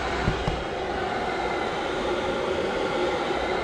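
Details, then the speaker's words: Webasto gas heater installed in a Ram Promaster van, set to ventilation on high/max: steady, even rushing whoosh with no rhythm or knocks; blower fan running normally. "But that is the sound of a fan. I'm gonna put it on ventilation. We're gonna put it on high, max."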